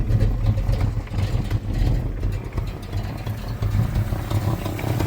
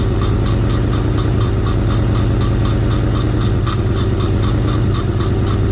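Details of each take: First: 1986 Fox Body Mustang 302 five-speed, sitting 15+ years, in neutral with intake off: lumpy, uneven idle surging and dipping with a puffing chuff; owner suspects exhaust leak, sticky injectors, missing intake or wrong firing order. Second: 1986 Fox Body Mustang 302 five-speed sat 15+ years, running on sprayed fuel with intake off: steady low idle, even firing, no misses or knocks; normal idle, though fuel pump still not working and a possible exhaust leak suspected.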